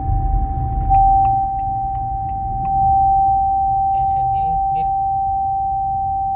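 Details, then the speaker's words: Haval H6 HEV while driving: a deafening, steady, piercing single-pitch whine in the cabin over soft road hum, appearing suddenly. It is not the radio or A/C, no warning lights are on, and it continues with the car off; origin unknown. "No está marcando ningún sensor encendido. Pero miren el ruido que tiene. ¿De qué lo que es? No sé. Se escucha súper fuerte."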